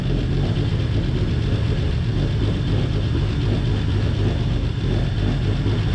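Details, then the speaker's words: 1949 Chevrolet Fleetline Deluxe inline-six, revived after sitting many years; after freeing stuck lifters and checking bent pushrods, deep even idle with steady beat, no tapping or stumble, running smoothly on all six while fuel pump pushes old varnished gas. "all right I'm going to call it good until my uh my parts show up because this is pretty good"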